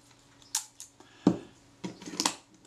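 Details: Kodak Retina IIc camera after reassembly: a few crisp single shutter clicks, clean and snappy with no drag or double bounce. The shutter had not fired because a bent, damaged cocking rack stopped it cocking; it now fires normally.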